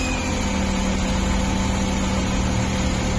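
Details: CNG-fitted car, started on petrol: steady, even idle with a low hum and no missing beats or knocks; normal idle.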